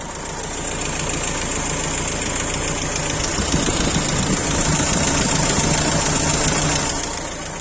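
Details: Renault Laguna 1.9 dCi diesel idling: steady high hiss from the intake with uneven knocking about three to four a second; shakes at idle when cold, noisy when driven, cause unknown.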